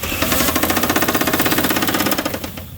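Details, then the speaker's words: Toyota Supra 7M engine first run after sitting since 1995, a little throttle: hard, rapid metallic knocking about twelve per second over rough running, heaviest with throttle; worn rod bearing knock. "That is one unhappy 7M. Very, very, very unhappy 7M."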